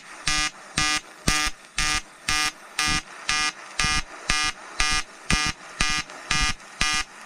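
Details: EWM Tetrix XQ 230 Puls AC/DC Expert 3.0 TIG on 5000-series aluminium with 2.4 mm 2% lanthanated tungsten and 2 mm filler: crisp buzzing bursts pulsing steadily about twice a second with a clean edge; a normal pulsed AC arc.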